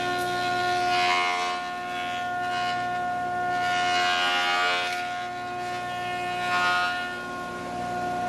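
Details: Large used planer cutting dry English walnut, dust extraction not yet connected: steady motor whine with rushing swells as the board feeds past the cutterhead; cutting cleanly and running as it should.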